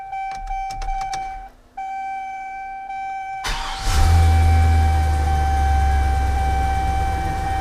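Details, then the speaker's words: 2003 GMC 2500 truck after aftermarket fuel pump replacement, rewired after the supplied diagram proved wrong: chimes and window motor, brief crank, then catches into a steady even idle; fuel gauge working, starts fine. "it's working the fuel gauge seems to be working and it starts uh it was a nightmare to figure out"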